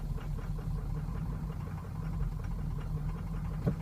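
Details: 2003 Ford Excursion 6.0L Powerstroke diesel at warm idle: uneven, lumpy idle with irregular thumps and stumbles. Began suddenly over two days, worsens as it warms, stumbles or stalls coasting or standing, vibrates and possibly surges slightly; starts fine cold; cause unknown.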